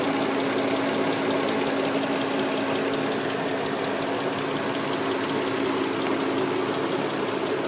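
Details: 2003 Nissan Murano engine ticking that just started: fast light ticking, about three or four per second, over a steady idle; fluids recently changed, Castrol synthetic oil still good, new air filter; cause unknown, owner heading to dealer.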